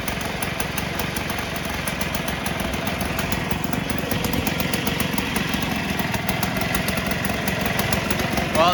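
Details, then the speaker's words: 1958 Allstate (Sears) Vespa 125cc two-stroke, sitting about a year, first-kick cold start on choke with fresh gas; steady even quick crackling putter, no misses or knocks, idling cleanly and smooth while warming. "started up a lot easier than i thought it would usually it just takes a bit of time for the gas to start falling down in it but it's running smooth"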